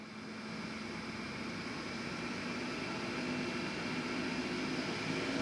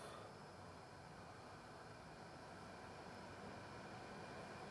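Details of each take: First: 2006 Lexus RX400h hybrid, 3.3L, check hybrid message, P3105 battery fault; scan tool commands battery cooling fans to mode 6: airy rush swelling as fans ramp up, with a terrible waveform; faulty hybrid battery cooling fans. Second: Lexus RX400h with a P3105 battery fault: hybrid battery cooling fans commanded on via a Launch X431 Torque 5 actuation test, battery cover off. A steady, even vacuum-like rush at high speed with no rattle or scrape; normal fan operation.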